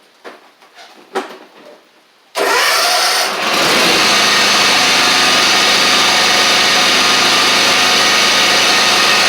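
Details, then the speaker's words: John Deere X350 mower after a full service with new blades, belts and battery, deck lowered and blades engaged: a few clunks, then a steady even drone with constant blade whoosh; it sounds better now. "It sounds like it's doing better now. May have just been where I took them off and did all that good stuff."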